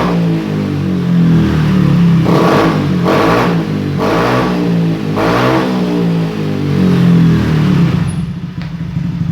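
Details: Honda Beat new fuel-injected scooter after idle adjustment; four crisp throttle blips over a smooth idle rise and drop back cleanly. No longer sluggish, idle good, normal revving.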